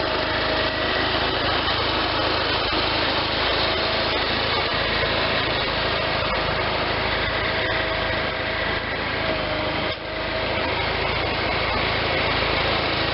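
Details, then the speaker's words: Case Ingersoll 448 hydriv garden tractor with twin-cylinder Onan engine, after installing the rebuilt N46 deck and running it a few minutes: steady, even drone with the deck turning and belts tracking well, no knocks, slips or squeal; normal running. "okay just ran that for a few minutes there everything sounds good the belts are tracking good"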